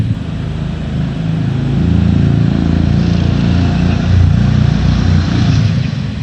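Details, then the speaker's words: 6.5 hp Predator clone single-cylinder on a springer bike, carb rejetted with new 90 main jet and original emulsion tube refitted: even thumping, about 3.5 beats a second, revving gently without stumbling. Runs much smoother but lost wide-open zip; owner suspects idle jet needs enlarging. "well I'll tell you it lost it runs much smoother it really does but it lost some of its zip on the wide open end with that stock in motion tube"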